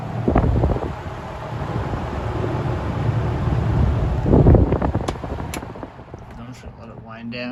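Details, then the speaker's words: 1950s-60s Westinghouse automatic box fan with thermostat control, freshly oiled, blowing toward the mic, switched from high to low: airy whoosh with low steady motor hum easing as speed drops; normal smooth running. "anyway i'll start it up on towards me first on high and switch it to low and flip it"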